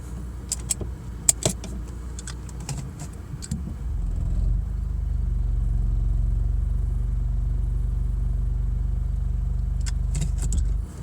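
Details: BMW E46 automatic makes a deep rhythmic thumping at about four beats a second when shifted from P into any gear except neutral with the foot on the brake, causing strong vibration especially in the driver's seat; cause unknown.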